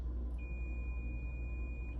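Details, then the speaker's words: Multimeter in continuity mode on a Thermo Electron Delta V isotope ratio mass spectrometer ion source: probes touched together give a steady high beep about 1.5 s, demonstrating a closed circuit. "And so for example, if you were to put these together, you get that sound, it means that you have connectivity."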